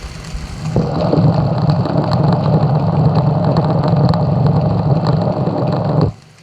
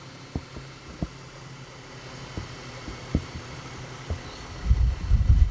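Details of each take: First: 2010 Ford BF Falcon wagon at idle, listened at the serpentine belt tensioner pulley with a screwdriver; water pump is also leaking. Steady rumble with sharp ticks and gritty rasp. Owner guesses this is the mystery noise. Noisy pulley bearing suspected. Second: 2010 Ford BF Falcon wagon idling after replacing the water pump. It was clanky at first, then settled. Quiet low hum, few soft thumps, no clanking or pulley whir. Mystery noise considered fixed. Normal idle.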